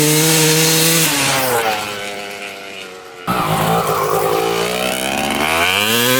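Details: 1995 Honda CR250 two-stroke dirt bike, previously bogging, run with the original CDI and stator swapped back in: revs climb and fall sharply and pull cleanly after a throttle chop with no bog. Normal running, so the CDI and stator are ruled out; the replaced gas line or flywheel is still suspected.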